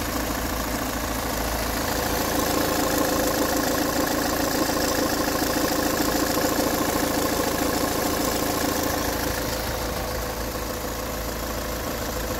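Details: Peugeot 508 2.0 HDI 163 hp 2011, 224,000 km, warm diesel idle: steady thin whistle above the clatter holding pitch at constant speed, absent when cold, growing after a few km; owner suspects the camshaft chain.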